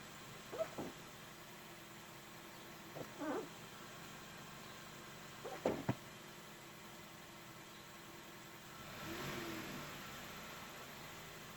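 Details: Hyundai Veloster petrol idle with short sharp metallic chirps every few seconds from right side of engine; chirping stops with clutch pressed (squeak, slight rpm rise), returns driving in gear and free revving; cause unknown.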